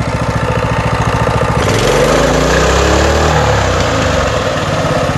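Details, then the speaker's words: Coleman CT200U trail bike, single-cylinder, after a fix for high idle at startup: steady low idle, briefly revved and dropping straight back; no more high idle, now normal. "got no more uh high idle and um high idler throughout"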